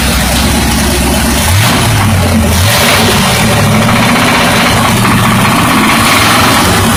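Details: Buick 350 V8 at idle with a deep, uneven rod knock; removing the spark from that cylinder reduced load on the piston and lessened the knocking.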